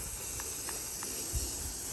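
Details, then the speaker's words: Garden sprinkler zone with K-Rain RN 100/200 adjustable nozzles and mini rotors: faint, steady airy hiss with short spits about every third of a second as a rotor passes air. "You hear the rotor over there hissing over there making air noises."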